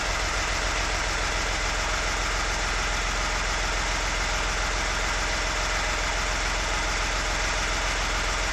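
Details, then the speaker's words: VW Lupo after 1 year 3 months standing, gearbox not yet adjusted: steady even idle with a smooth regular beat, no knocks, ticks or misses; sounds as if stopped yesterday, healthy. "Den lyder jo fuldstændig som om den blev stoppet i går. Ikke så tosset."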